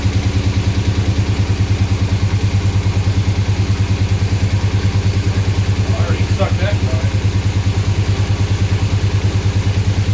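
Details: 2007 6.1 HEMI V8 swap in a 1970 Coronet, first run with no coolant: lumpy loping idle with a heavy uneven thump about two per second; injectors on cylinders 8, 6 and 4 not firing. Misfire on three cylinders from dead injectors.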